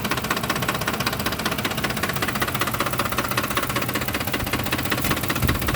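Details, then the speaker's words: 2007 Ford F-150 5.4L V8 4x2 automatic, 119k miles, rough idle after deceleration: uneven idle with a steady knock, roughly two to three per second, low in the engine, seemingly near the fan; cause not pinned down. "To me, it kind of sounds like it's coming from, down in there. It's louder on this side. It's like it's coming from where the fan is."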